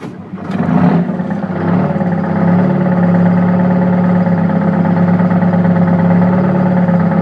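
Engine idles with an uneven, stumbling beat and a recurring skip in the exhaust pulse rather than a smooth hum; sounds like a misfire.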